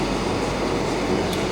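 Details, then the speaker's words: Wash system agitator paddle turning as the alkaline pump runs during an output test, hot water going in, with the wash pump heard in the distance: steady, even rumble and whirr with no knocking, scraping or surging, running normally. "that should be the alkaline pump which is and that's the paddle going around i can hear the agitator"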